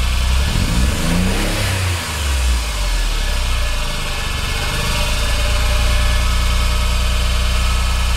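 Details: Horrible abnormal engine noise, cause undiagnosed despite good compression, correct timing and VTC solenoids checked as working. Rough, uneven churning at idle and through the revs, with no single clean knock.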